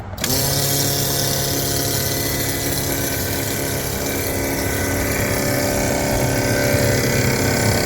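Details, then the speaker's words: 2016 Isuzu NPR gasoline box truck (GM V8) that won't start, no trouble codes, key on and engine off: an electric brake booster pump whirs without letup at a steady pitch. Cause suspected, not confirmed; possibly just because the engine hasn't started. "there's a weird noise going on with that brake booster so maybe that's just because it hasn't started I don't know"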